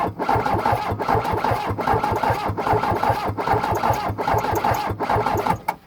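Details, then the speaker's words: 43-year-old VW diesel truck on a ten-year-old battery, first start in a year, glow plugs cycled, in neutral. It spins over in an even chug of about 75 compressions a minute but never catches because the fuel shut-off solenoid isn't powered. "so oh I know wasting my cranking got to have the fuel shut off solenoid got to have fuel"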